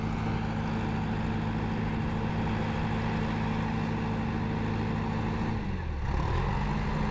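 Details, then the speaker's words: Valmet 838C combi forestry prototype after fitting a Usevolt control system, programmed to drop revs to low idle when driving: deep, steady diesel drone dipping in pitch around six seconds as revs fall; normal automatic idle-down. "niinku kuulette, se välillä käyttää kierroksia matalalla."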